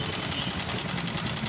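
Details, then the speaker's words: Honda Vario 150 (LED) scooter at idle: a fast, even, sharp tick of about ten per second over the idle, from a worn automatic cam chain tensioner letting the chain slap. "Ya seperti ini suara dari mesin Vario apakah itu"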